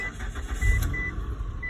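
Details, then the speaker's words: 2011 Mitsubishi Endeavor that had a no-start because the immobilizer did not recognize the aftermarket key, after the key was reprogrammed: a short crank, then it catches and settles into an even rumble with chimes; it starts normally. "and it started and it's nice all right that was uh 2011 B with the with the code for the key being not being recognized by the imobilizer and we programmed it back and everything is working now"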